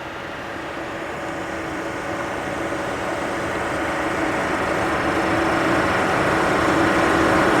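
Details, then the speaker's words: Hyundai Sonata with blank gear display and transmission stuck in park: radiator fan roars steadily, running constantly even with engine cold, indicating a lost communication problem. "now usually when you see a radiator fan that remains on all the time even when the engine is cold is an indication of a no communication problem"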